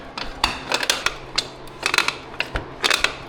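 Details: 2007 Suzuki DRZ400S, 11,000 miles: with the swingarm bolts partly out, rocking the swingarm by hand gives dry, gritty scraping creaks in uneven bursts at the pivot, suggesting dry, worn pivot bearings. Cause suspected, not confirmed.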